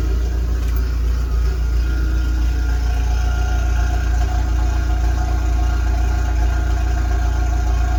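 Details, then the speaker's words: Audi A4 B8 Allroad 2.0 TDI 143 hp, Stage 1, after Darkside DPF and EGR delete with new exhaust line, morning cold idle: steady even diesel rumble with faint constant turbo whistle on top; normal cold idle. "Bien le sifflement du turbo, quoi. Un turbo diesel, voilà."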